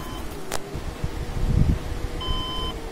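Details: Desktop computer at power-on with red light flashing: steady high beep, repeated beep code from the motherboard; said not necessarily a dead or corrupt motherboard, cause suspected, not confirmed.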